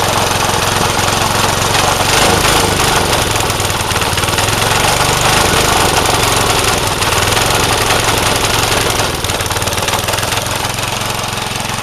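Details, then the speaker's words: Vintage Craftsman 18-inch snowblower single-cylinder: loud rough clatter with uneven firing and slight surging; carburetor mixture out of adjustment. "It does need the carb adjusted a little better. I'm going to work on that."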